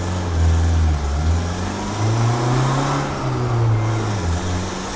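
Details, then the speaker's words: Turbo Civic (eBay turbo kit, Hondata S300 ECU, manual boost control) on a warm tuning pull: engine pulls hard with a wavering tone and raspy puffing edge under boost; exhaust leak suspected at the wastegate, which needs tightening. "Sounds like I got an exhaust leak. I hear an exhaust leak, I think. Wastegate needs tightened."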